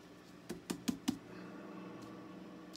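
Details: Fender Deluxe Reverb guitar amp, powered up on standby, during power tube replacement: four sharp crashes with a short springy ring over low mains hum when bumped; the reverb tank springs respond, so the tank works.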